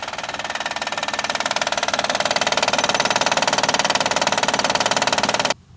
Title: 2011 Honda Accord 3.5l loud knocking noise easy fix by replacing Timing bel tensioner